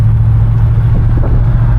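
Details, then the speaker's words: 1966 Oldsmobile 98 convertible cruising at about 40 mph: smooth, even low drone over road noise with no squeal, knock, belt squeal or shaking; healthy engine and belts. "Right now we're up to about 40. As you can tell, no crazy sounds, no belt squeal, no shaking."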